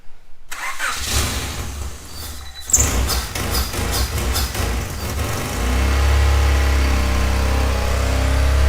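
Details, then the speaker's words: 1995 Civic Si with an engine swap, ignition timing set to about 18 degrees: it cranks, catches, then runs loud, uneven and lumpy with an exhaust leak. A misfire is suspected; the check engine light is on and unplugged connectors are suspected. "that sounds awful don't yeah well the exhaust is uh leaking but it kind of sounds like it's misfired"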